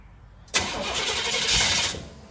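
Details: 1968 GMC truck, first start attempt after 20 years sitting: old V8 cranks, fires briefly with a rough roar for about a second and a half, then dies without settling into idle.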